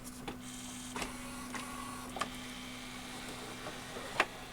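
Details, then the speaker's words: RCA RS2654 shelf system CD player: faint hum with sparse clicks about once a second as the pickup keeps seeking and won't read the disc; original pickup believed defective. "see if it reads it know it's having the same problem it's trying though"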